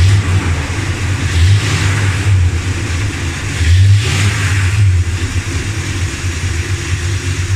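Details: Dodge Ramcharger V8 after replacing pushrods, rockers and rocker shaft to cure a tick: smooth, steady burble that swells cleanly on two blips and settles back with no tick; engine noise problem solved.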